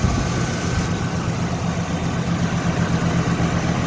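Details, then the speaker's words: 1977 Chrysler Cordoba with 400 four-barrel V8, MSD ignition and automatic transmission at idle: deep, even burble, steady pulse with no misses, knocks or ticks; smooth, healthy runner. "Smooth runner, sounds good."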